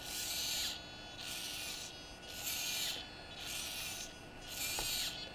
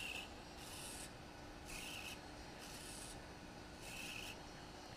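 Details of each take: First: DJI Phantom 2 Vision camera pitch gimbal, stock OEM pitch servo: five short raspy high-pitched whirs as the gimbal tilts, loud and slow compared with the replacement Hi-Tech HS-5055MG digital servo; common noisy servo whine. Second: DJI Phantom 2 Vision camera pitch gimbal after replacing the servo with a reversed Hi-Tech HS-5055MG digital servo: faint short whirring bursts, no typical OEM servo whine, only slight fan whine; quiet normal operation.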